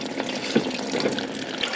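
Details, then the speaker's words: Concealed toilet cistern on a bathroom remodel, after the top valve was knocked: constant hissing trickle into the pan with no flush; cistern valve still passing and the cause is unclear. "don't get it I do not get why that's passing through really don't understand it"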